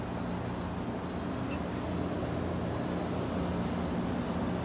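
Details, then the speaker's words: 1980s GE Thinline window air conditioner, pre-restoration, restarted after reinstalling in its case, heard from the back side: quiet steady hum and even airflow hiss, cooling fine. "she's quiet back on this side it's very quiet"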